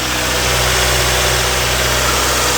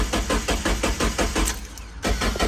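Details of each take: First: Miata abandoned in a field over 10 years, now running after a spare used fuel pump replaced the bad one: steady, busy petrol idle with an even pulse, no knocking or stumbling; healthy normal idle. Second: Mazda Miata abandoned in a field over 10 years, fresh fuel added: starter cranks briskly, four to five even pulses a second, pauses, cranks again without firing; crank sensor later found rat-chewed.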